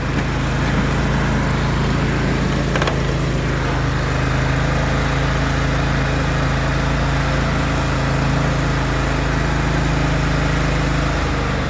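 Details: John Deere L130 mower deck running after a bearing housing replacement for failed bearings: steady, even engine drone with smooth deck hum, no grinding or rattle; deck running normally, way better than before.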